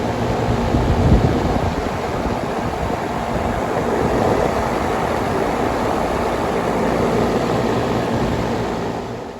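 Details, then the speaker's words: Carrier home AC outdoor unit after replacing the fan blade (original motor kept), steady smooth whoosh and hum, no previous shrieking or metal clinking: normal condenser fan hum. "i think it did you can actually hear the the fan humming noise and that's normal but you do not hear any or at least i do not hear any clinging noise or loud shrieking noise or metal clicking noise that that used to come i all i hear is a very very smooth noise"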